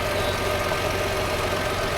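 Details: Fire-damaged Copart Chevrolet Equinox after fuse box rewiring and fixing a loose relay connection: even, steady idle with a smooth mid-pitched drone and no misses or knocks; the engine runs fine.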